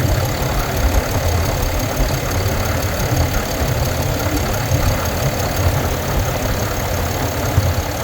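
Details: 2022 Ram 2500 Cummins diesel at idle: light, even ticking over a deep steady idle; cause unknown.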